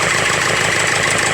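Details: Ford Figo petrol engine idling roughly, with an uneven stumble in its low beat from a misfire, diagnosed as an injector misfire.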